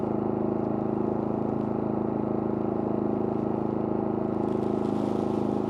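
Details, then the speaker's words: Pulsar 4000 dual-fuel generator, smaller and less powerful, in eco mode with no load: ticks over steadily at low speed with an even pulse and no knocks or surging; normal idle, no load. "Okay, this is a Pulsar unit on eco mode, no load."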